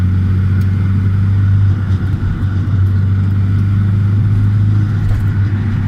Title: 200SX S14 whining noise...